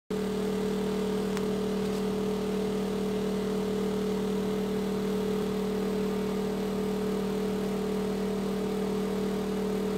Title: Noisy Exhaust Fan